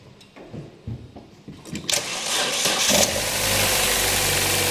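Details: Cold engine starting after a faulty coolant temperature sensor (reading hot while the engine was stone-cold, causing extended crank) was replaced: brief crank catches quickly, settles into steady, even idle with no stumble; normal cold start after repair.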